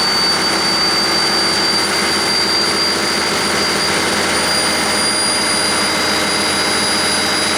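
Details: 1959 Caterpillar D337F diesel generator set, ex-hospital, barn-stored 10–12 years, about 959–960 hours, unloaded and barely at operating temperature: constant, even roar with steady whistling tones, no knocks or stumbles; normal unloaded running.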